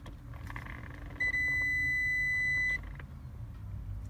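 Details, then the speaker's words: 2000 Toyota Sienna with a horn that doesn't work, steering wheel removed: steady high beep about a second and a half when the wheel is pushed, showing intermittent ground through the faulty steering column bearing between shaft and ground; fixed by adding a ground wire to the shaft. "so when the bearings bearings is faulty we don't have the contact so now I'm trying to a little bit push the steering wheel and we'll hear the beep that means we'll have the account nudity between the steering wheel shaft and ground"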